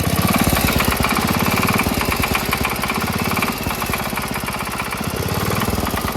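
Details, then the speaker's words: Rebuilt Wheel Horse single-cylinder engine after about an hour of use: loud hard knock on every firing stroke; teardown found scratching in the cylinder bore and bearing damage. "foreign that's what I mean right there that you hear that knocking sound it's pretty loud so I disassembled the engine and this is what I found inside it"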